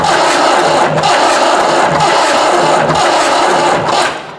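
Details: Newly acquired Ford 5610 diesel tractor, believed 1983, on makeshift golf-cart batteries with smoke from a battery terminal; starter grinds at about three compressions a second with uneven puffs but no catch, cranking without starting.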